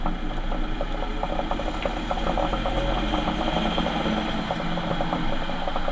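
A fast, busy mechanical chatter and rattle rides over a low drone while driving, pointing to a worn, noisy rear differential.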